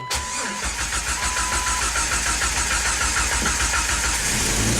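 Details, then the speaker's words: Jeep Wrangler that had not run for a month, being diagnosed for no-crank/no-communication after a bad connection was fixed. The fuel pump is heard at key-on, then a short crank; it fires cleanly into a smooth, even idle. Normal engine start. "Key on. Yep, it sounds good. You got the fuel pump."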